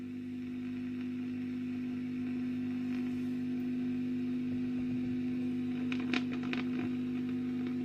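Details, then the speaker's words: 1965 Wem Custom 15 valve amp after cleaning the tube sockets, on a bulb limiter drawing 260 mA. A steady low hum with faint crackle remains; better, but the source is untraced and a plate resistor change is planned. "That one's fine now. They're a lot better, but there's still something."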